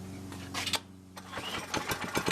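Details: Small single-cylinder air-cooled go-kart engine with an aftermarket carburetor, belt removed to rev freely, kill wire disconnected: catches on the first pull and runs, popping unevenly as revs rise; starts readily and runs.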